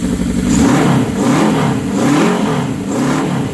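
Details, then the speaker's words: 1979 Suzuki GS750, first start after over a year sitting following teardown and carburetor rebuild; strong, clean throttle blips rising and falling smoothly with no misses or pops, running better than in years; normal revving. "But, man, I haven't heard this girl talk like this. Wow. I haven't heard this thing run like this in years."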